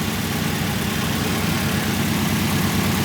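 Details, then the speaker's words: Nissan 240SX (S14 injector just fitted) idling after sitting almost a year: steady slightly lumpy idle, unchanged when cylinder four is unplugged while others change idle; cylinder four still dead, misfire at idle. "Now, let's see if we pull cylinder four. No, that didn't really do anything at all, did it?"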